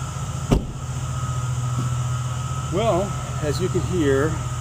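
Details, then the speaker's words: Ford F-350 Super Duty 7.3L Powerstroke diesel at idle after a dual alternator install: a steady high squeal as the serpentine belt slips on the lower alternator pulley. The fix planned is refitting the regular pulley. "the lower alternator pulley is squeaking again"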